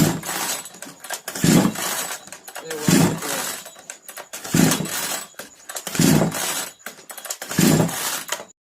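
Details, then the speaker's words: Gasoline chainsaw with a starting problem: fuel was checked full, switch on, on choke. About six rough pull-cord cranks with no firing; air filter, spark plug, carburettor, rings, piston and cylinder are to be checked. No-start when pull-cranking. "तो जैसा कि देखा आपने, चैन saw machine start नहीं हो रहा है। Start नहीं हो रहा है, इसके लिए हमें डिटेल में चेक करना होगा।"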